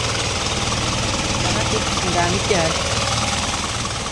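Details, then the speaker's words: Isuzu 4HL1 diesel after retarding injection timing by three teeth: steady, even diesel clatter at idle with no deep knock, now starts in one click; knock gone, running smoothly. "Ayan na wala na rin yung lagutok naandar"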